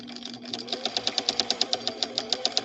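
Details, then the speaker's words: "Swedish beauty" machine running with a fast, harsh thumping knock, about eight to nine beats a second, along with a burnt smell; abnormal thumping, cause unknown, and testing was halted to avoid further damage. "hear that thumping sound if your Swedish beauty sounds like that know that that's not the way it's supposed to sound"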